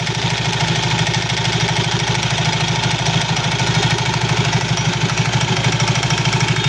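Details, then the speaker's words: Idling Soul GT 115 scooter with loose rapid clattering, about three knocks a second, from the CVT; worn CVT sliders and clutch shoes. "suara kelotok-klotok pada bagian CVT sol GT 115 ini biasanya disebabkan dari kelonggaran-kelonggaran sparep ya kelonggarankaausan pada P tertentu"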